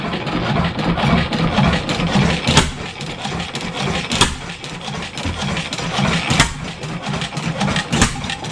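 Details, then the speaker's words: 7HP Stickney stationary engine after decades of sitting, being tuned: uneven irregular firing at low speed, never gathering speed; owner suspects an air leak. "yeah it's not picking up like it fire still I can't can't feather it back still air leak somewhere"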